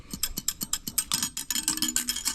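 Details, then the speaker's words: Part removed from SRT-4 engine during reseal, shaken by hand: sharp metallic rattle about four times a second, something loose inside; a broken internal spring is suspected, to be taken apart and checked. "sounds like a spring inside there is broken so we'll be pulling that apart and double checking that"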